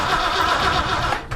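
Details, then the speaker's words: Brand-new Ford 351M V8 in a 1979 Ford F-250, first start attempt with open headers/exhaust manifolds: starter spins the engine steadily but it never fires because the ignition is switched off; cranking with no start. "Oh, I gotta turn the key on. Ignition on. Alright, now let's make some noise."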